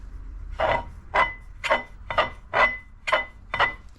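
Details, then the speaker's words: Jet ski jet pump after a new impeller: rough scraping squeak in bursts about twice a second as the shaft turns. Worn bearing in the jet pump rather than swollen wear rings. "but it's actually the bearing in the jet so let me just take this casing off and I'll show you so like I said hoping you can hear that that's the bearing"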